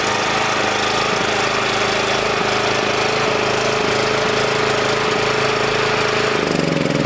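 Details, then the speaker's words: Small generator, reassembled, still only running on choke: ragged uneven running that stumbles and dies near six seconds after choke comes off; runs only with carb spray there, owner suspects an unseen crack in the head sucking air. "and now it dies it'll only run when i spray carb spray in that corner there so there's another problem deeper into that head there might be a crack in the head that we can't see and it's sucking air through there"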